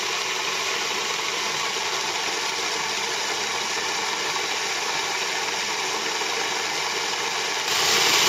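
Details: Moulins d'Alma individual stone mill grinding grain for wholemeal flour after sieving out straw particles: steady even rushing grind, no knocks, rattles or surges; normal milling.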